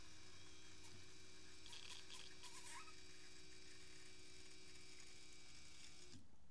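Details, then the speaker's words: CJAA common-rail TDI (CP4 high-pressure pump) after fuel filter replacement, priming without VCDS by jumping the pump: steady electric pump hum at one even tone for about six seconds, then clean cutoff; normal fuel pump priming to purge air from filter housing. "so it took a little bit but you can probably just jump it for a couple minutes with loopholes and that way you know for sure everything's all fleshed out"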